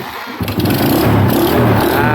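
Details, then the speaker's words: Honda motorcycle after carburetor refit and new fuel filter, cleaned pilot jet still seems blocked: won't start without choke, then catches into a rough, uneven idle on choke; owner suspects a clogged pilot jet and plans to replace it. "Dia ni aku rasa sebab pilot jet lah. Pilot jet tersumbat. Memang angin tak ada lah. Tapi kalau tarik cok boleh start."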